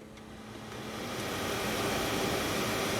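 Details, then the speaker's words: Mercedes Sprinter blower motor after replacing the defective blower regulator that kept it running with key off: steady airy whoosh builds smoothly, no rattle or squeal, speed lowered then switched off; normal blower operation. "you can hear the blower and we got our voltage there okay so now let's lower the speed now let's turn it off so it's off"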